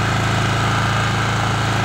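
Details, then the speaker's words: Honda EM5000iS generator after cleaning a clogged main jet and rebuilding the carburetor: starts first pull, smooth steady drone at constant speed, no hunting or misfire; running normally. "so you saw that generator fired up first pull runs great nice and smooth"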